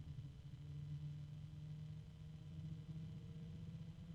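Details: Small fan with a cheap sleeve or rifle bearing run at about 5 volts or lower, near its slowest speed: low steady hum around 150–200 Hz with a harmonic, and the bearing ticking is audible up close.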